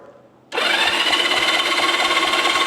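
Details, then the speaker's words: Long-abandoned Honda Dream motorcycle found in a warehouse, first try at the key position giving horn and starter: sudden steady electric whir with faint even compression pulses about four per second; starter cranking the engine properly. "We got horn and start. >> Here we go. That's the horn. >> That's a double whammy. >> This is the starter."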